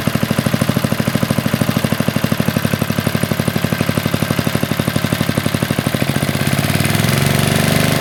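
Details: Roughly 40-year-old Briggs and Stratton single-cylinder on a garden tiller, running after a carburetor rebuild and throttle linkage adjustment: clear, fairly even firing pulses that pick up toward the end. Steady running, with slight seepage seen, possibly spilled fuel.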